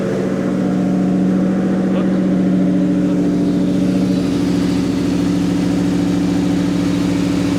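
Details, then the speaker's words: 2007-2009 Ford GT500 supercharged, first start after low vacuum bypass valve install, supercharger removed and refitted; steady fast idle, smooth even drone, no hunting, idle still set high from earlier stalling; checking leaks. "The fuel or the idle is gonna be high because it's still set for high idle from when it wouldn't idle down without dying."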